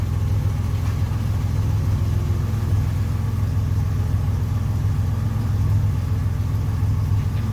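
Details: 1981 Buick wagon, turbo Grand National LC2 V6, 200-4R transmission, just after Vigilante 3000 stall lock-up converter swap: steady low even idle rumble, no knocks or whine; normal idle.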